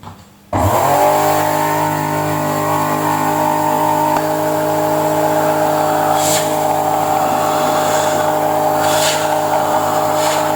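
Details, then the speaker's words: Panasonic MC-CJ911 2100W vacuum cleaner with bad smell and strange noise: motor switches on into a harsh, multi-toned whine with a rough edge from broken and drifting motor bearings; the smell came from worn carbon brushes; fixed by fitting a new 2000W motor. "tiếng ồn là do ổ trục bị hỏng, mùi hôi là do chổi than, vấn đề đã được giải quyết"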